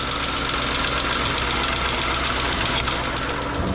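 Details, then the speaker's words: 2013 Hyundai Equus 5.0L GDI V8, even idle with uneven light rubbing and ticking from a cooling fan crushed into the radiator in a crash, making contact noise. "it appears we have a little bit of a noise coming from the cooling fan which has been smooshed into the radiation due to force"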